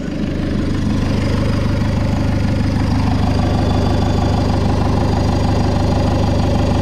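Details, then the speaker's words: Fiat Ulysse diesel, first start after a turbo was fitted: even, steady idle with a soft turbo whoosh from the blades moving air, and no clatter or ticking. The engine sounds healthy; the EGR gasket still needs replacing. "Ouais, parce que là, en fait, ça brasse de l'air. Donc c'est pour ça qu'on les entend, mais ça claque pas, ça cliquaille pas. Il n'y a rien."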